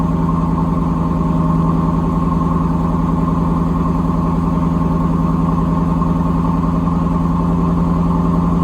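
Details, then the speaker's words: 1992 Camaro RS with a Chevy 305 V8 and 700R4, a junkyard car starting for the first time in months after a battery charge: fast, steady, even idle with no misses, idling well above normal. "it's idling really high but it's alright don't mind bye"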